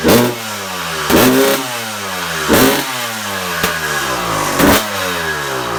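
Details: Suzuki RM250 two-stroke dirt bike after rebuild, first start, idle not yet set, not yet hot, warming up: crisp even running with periodic throttle blips, pitch rising and falling cleanly; sounds good, healthy.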